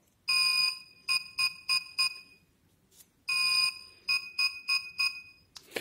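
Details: Xiaomi M365 electric scooter throttle trigger fault: high beeps, one long then four short, played twice, with no acceleration when the trigger is pressed. Fix is replacing the throttle trigger.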